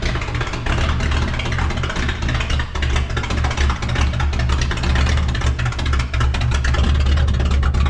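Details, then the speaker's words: Cummins diesel newly swapped into the 3+3 build, running straight-piped. Deep, steady rumble with an even, unbroken beat and no knocks or misses; healthy diesel running loud through open pipes. "That sounds so good. No. Oh, I was going to leave it straight piped."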